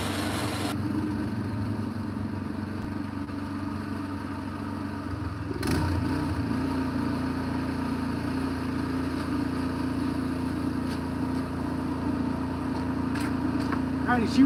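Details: Craftsman snow blower, pull-started by hand after idle-circuit repair, running at full speed with an even steady hum, no surging; normal steady running.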